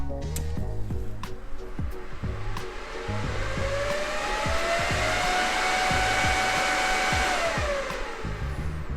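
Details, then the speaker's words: CanaWeld 201 pulse TIG welder (200 amp) switched on; soft whir swells then fades as the cooling fan runs briefly and shuts off after about 10 seconds, no grinding or rattle; normal cooling fan run. "probably my favorite thing about this machine so far is, as you can hear, the fan turns off after a minute or so."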